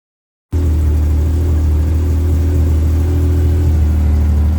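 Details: Yamaha RMAX engine just started on a new Acoucou YTX9 sodium-ion battery, showing 14 volts while running: catches and holds a smooth, steady low drone without hunting or misfires; healthy normal idle.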